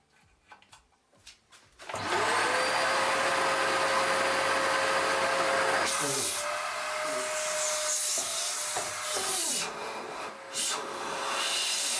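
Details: Samsung SC4034 vacuum cleaner after repair, motor replaced due to loud hum and poor performance: clicks, then the vacuum motor spins up to a steady smooth whine, dipping as airflow and speed regulator change; suction good, normal running.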